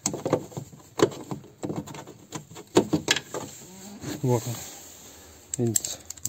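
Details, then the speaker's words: Lada Kalina door: worn door check strap gives two short groaning creaks as the door swings, among handling clicks. A worn strap also knocks in the door over bumps and won't hold it open. The fix is replacing the strap. "если вот эти вот ограничительный изношенный во-первых у дверь не будет фиксироваться в открытом положении и скрип скрипеть будет при открытии"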